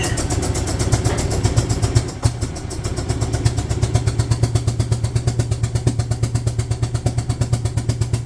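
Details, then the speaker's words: 2008 Yamaha Drive G29 gas golf cart, choke pulled, climbing a ramp: single-cylinder engine chugs slowly and unevenly, about three beats a second, bogging under load and lacking power; owner suspects the carb, possibly head gasket. "Go, buddy, go! Wow, it's not gonna climb the ramp real easy."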